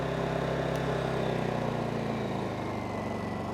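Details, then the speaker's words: New Honda EU2200i inverter generator switched into eco mode after start: low, steady hum with a soft even pulse and nothing rough or knocking; idling normally and very quiet. "Check that out. Check that out. Pretty quiet. I mean, even for me, I've never had a generator before, but I don't imagine you could build it much quieter than that."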